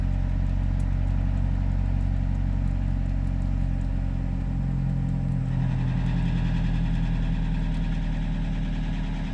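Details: Toyota HiAce 200-series Super GL with a low oil pressure warning since the first day after purchase: a steady heavy idle with a rough, irregular low pulsing near three per second; the dealer found no cause and replaced the engine.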